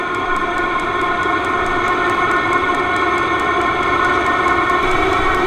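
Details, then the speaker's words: Vevor diesel heater turned from its lowest setting up to maximum: quick, steady fuel pump ticking that speeds up over a high fan whine spooling like a turbine; normal operation at maximum output. "I'm going to go all the way to Max you can hear the fuel pump start to tick quicker it's like a turbine spooling"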